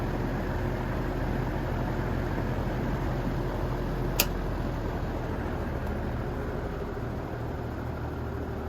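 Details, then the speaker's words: 1950s GE box fan after motor replacement, running on high blowing outwards: steady low hum with even rushing air and one brief click midway; new motor runs normally on high. "So gonna have to get some electrical tape, but for now this thing is running. I'll start it up on high, going outwards."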